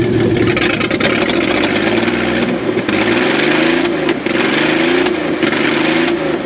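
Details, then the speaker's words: 1994 Chevrolet Astro van after a base timing check: good idle, then revving up and down with an uneven stumbling note and dropouts. Misfire of unknown cause; compression and spark plug checks are planned. "retty good idle right now I'm going to rev it up you can hear the misfire I'm gonna do compression checks and check the spark plugs"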